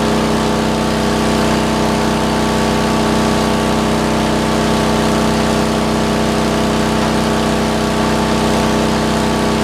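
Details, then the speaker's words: Roughly 40-year-old (believed 1977 or 78) Lincoln Weldanpower 150 genset welder welding at 120 amps: steady, even drone with constant hum and no knocks or surging under welding load; sounds healthy. "Does pretty well at 120. It's pretty nasty."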